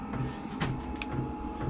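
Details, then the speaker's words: Vevor diesel heater in a cabin mechanical room running on its low setting for less noise and better fuel economy: steady soft fan roar with faint, evenly spaced fuel-pump ticks; normal running on low. "But, you know, I'm going to keep it fairly low. [Music] Keep it low. Less noise, better diesel economy or fuel economy."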